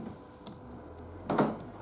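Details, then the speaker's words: 2016 Mazda CX-5 door lock actuator after replacement and door panel reassembly: a single solid clunk as the door locks, then light clicks, so the actuator is working normally. "I hear a clunk and then it unlock and yeah hear that clicking"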